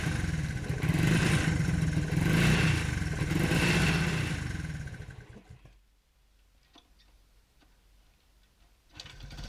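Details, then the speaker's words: Honda CT90 Trail 90 after many years in storage, turning over freely with timing marks checked: the small single fires with low, even thumping, runs steadily for several seconds, then winds down. Normal running. "oh it's a runner it's a runner"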